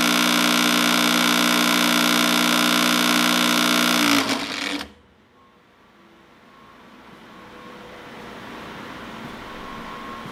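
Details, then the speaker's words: 16-inch Axelson starter contactor being energized after motor lead identification: hard, fast buzzing rattle about four per second, then it drops out, chattering instead of pulling in. Suspected insufficient power or corroded internal contacts, unconfirmed. "I mean, it's closed. It's closing. But it's chattering. It's chattering."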